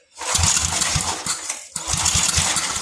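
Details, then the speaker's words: 33-year-old Homelite 8 hp 4,400 W yard-sale generator, long unrun: two short loud bursts of rough firing with a gap, cutting out each time, running only on priming fuel. Fires briefly on primer then dies. "So this is going to make a racket. It's probably going to blast out everywhere because it hadn't run in a long time."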